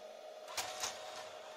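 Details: Sony DV VCR: quiet mechanism, a few crisp clicks as the cassette loads and a faint steady whir; normal tape transport operation.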